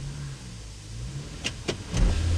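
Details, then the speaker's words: Front-wheel-drive 2009 (owner unsure) Town and Country minivan at idle; three sharp bangs as it drops into gear, with bumping even out of gear. Indicates failed engine supports (rubber engine mounts). "yeah hear that it bangs in the gear uh that pretty much indicates indicates engine support uh has failed"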